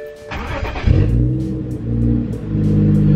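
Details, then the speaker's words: BMW 335i (E92) on stock map after misfire codes were cleared, owner suspects faulty coil packs: fuel pump primes, a brief crank, then a clean start into an even, steady idle with no stumble; sounds normal. "of fine life the fuel pump it sounded like it's priming huh I mean sounds normal"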